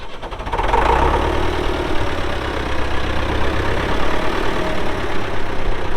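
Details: 1975 Case David Brown 1212 tractor, 2WD, 71HP engine, 4,353 hours, with front loader: a steady, even diesel clatter at idle with a low, regular beat and no knocks or misses. The engine sounds good. Normal idle.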